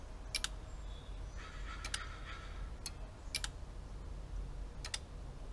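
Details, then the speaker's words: Relays clicking as the ECU powers up on the bench: a 2.2 L OBD2 Subaru donor engine harness (162,000 miles) for a 1972 Super Beetle swap. Sharp paired clicks about every second as relays switch, with the OBD2 connecting; normal. "Yep, relays are clicking. It's connecting to OBD2."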